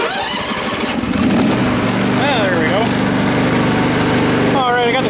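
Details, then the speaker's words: Neighbour's ride-on mower, oil just topped up to the full mark, parking brake on: the engine stumbles and fires unevenly on start-up like a hit-and-miss motor, then catches and settles into a run. Rough, uneven start. "parking brakes on starts weird sounds like a hit miss"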